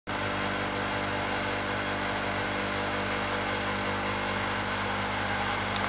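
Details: Garage heater's induced-draft exhaust fan: steady droning whir with a coarse rough edge and constant pitch throughout; noisy inducer fan motor.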